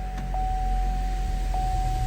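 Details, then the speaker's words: GM (Chevy/GMC/Buick) with broken switchblade key fob held together, brake on: engine running at even idle, low steady rumble with faint constant electrical whine; earlier no-start was a key security issue. "try it again all in real time here put on the brake again it starts it's now"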